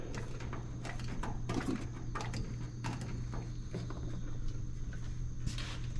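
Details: 1926 Seagrave city service ladder truck, 1013 cu in "F" six-cylinder, just started after 10+ years sitting, no work done beyond battery and gas to carburetor; deep lumpy low idle with uneven beat and stumbles, missing on one or two cylinders.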